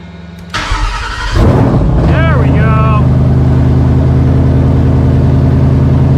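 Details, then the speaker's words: Cobra Daytona replica Aluminator V8 first-ever start, fuel pressure a little over 60; cranks, catches and flares, then settles into a deep steady lopey idle with choppy cam note, nastier than the roadster, possibly bigger Gen 3 cam; healthy. "it sounds a little nastier than the roadster yeah it sounds nastier than the roadster"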